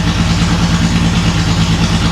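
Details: Datsun 280Z barn find, off the road 18 years, after new injectors and clamping fuel lines: low lumpy idle with a pulsing beat that never settles; runs no differently than before, then dies; cause not yet found.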